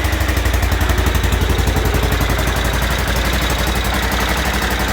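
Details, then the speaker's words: Aprilia Pegaso Cube idling after start-up with the choke turned down a little, after a new battery and cleaned carbs: even, steady thumping idle near four beats a second with no knocks or misses; normal idle. "So electrically everything works, and mechanically everything works. And I don't think it sounds too bad actually. Sounds a sweet little thing actually."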